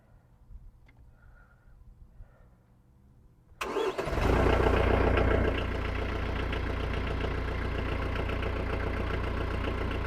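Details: Tractor with newly replaced battery, hot day: after quiet it cranks, catches and settles into a steady even idle of about 220 beats a minute; runs healthy, the battery was the only problem.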